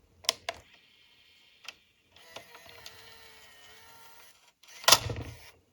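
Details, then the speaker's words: 1998 ProScan PRO998LH Hi8 camcorder tape eject: a few light clicks, a thin motor whir for about two seconds, then one hard loud clunk as the tape is thrown out; mechanism described as dodgy, violent eject, unsure if normal. "It ejects pretty violently! I don't know if that's normal."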